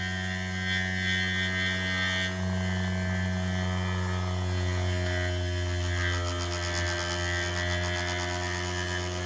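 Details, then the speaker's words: 3D-printed maglev rotor after the coil was pulled back and the rotor settled centred on the back plate (reached 7000 RPM), now running with a low, steady, even hum instead of the earlier rattle; faint background sounds; normal running. "so let me fire it up and now it's really nice it makes that nice hum not that rattle"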